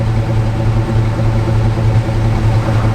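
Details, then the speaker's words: 1982 C10 with a 305 TBI V8 replacing the factory 350 diesel, said to run badly: steady even low rumble at about three pulses a second, no misses or knocks; idles healthy, though it burns a little oil and smokes, possibly bad gas. "I don't see why he said it was ran bad. It just has it burns a little oil."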